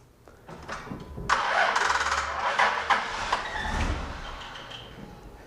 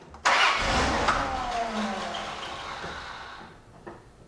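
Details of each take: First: Starter circuit test with VAT-40 on a car with a low battery (customer complaint likened to a machine gun sound when starting): sluggish, labored, uneven cranking as voltage drops to about 6 V and starter draws only ~100 A, engine barely catches; weak battery. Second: Starter circuit test with VAT-40 after the bad battery was replaced: brisk, strong crank that catches immediately and runs, battery voltage holding well and starter current draw very low; starter and new battery working properly.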